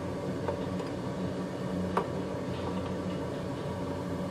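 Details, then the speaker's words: Used, lower-hours oil burner in a Finnish basement, fitted to replace a roughly 15-year-old unit that was losing its bearings, first firing with air possibly still in the fuel hoses: steady even roar, low hum, faint ticks, no bearing growl; running normally and quieter. "I don't hear that much noise from this unit, so I guess it's a little bit better now."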